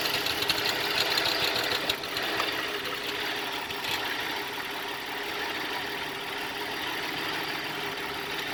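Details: 2004 Cadillac SRX idling: idle wavers with an uneven, lumpy beat of a few pulses per second instead of a smooth hum; rough idle.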